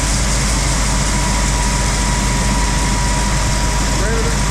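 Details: Case IH combine separator running steadily: deep, heavy drone with an even hum, no loud rattling or labouring, while emptying a choked-up elevator during corn harvest. Chain not broken; normal running.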